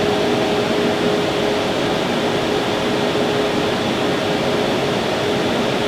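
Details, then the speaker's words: New rack server running its stock fans at 65–66 dB, versus 48 dB room baseline, before swapping to Noctua NF-A12x25 PWM fans: loud constant rushing roar with a thin steady whine. "I know it's super loud and crazy annoying 65 to 66 decibels definitely a lot higher than I want to deal with in my server room"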